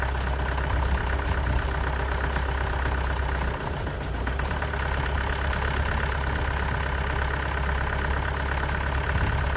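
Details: Astra van diesel after engine change (old engine's water pump leaked), new belt fitted: steady, even idle clatter, smooth low rumble, no knocks; runs sweet, though possibly a slight low-rev misfire, other injectors may be changed.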